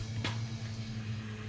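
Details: 1996 Ram with rebuilt 5.9 Magnum V8, relay jumped before first start: even, low electric hum without a break, fuel pump running.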